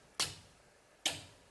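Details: Car converted to electric with a Resolve EV controller, first startup on the 12 V battery: two sharp, clean clicks about a second apart as both relays pull in. Normal contactor engagement.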